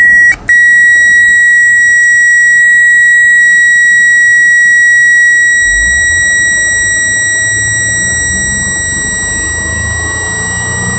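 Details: 2008 Nissan Maxima with brake and battery lights on: steady high chime for about eight seconds over low engine rumble; bad alternator.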